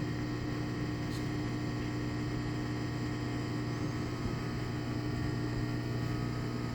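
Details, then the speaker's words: Washing machine drain pump after removing a safety pin that had wedged in the pump assembly and stopped draining: even, unbroken low hum, water moving quickly, no grinding; pump draining normally after the fix. "sounds like it's moving moving the water pretty quick"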